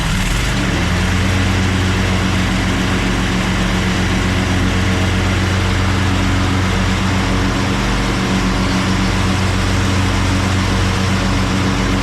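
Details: Craftsman push lawn mower started on choke after a split, loose part was replaced: it catches quickly and settles into a steady, even beat with no misses or surging, running healthy.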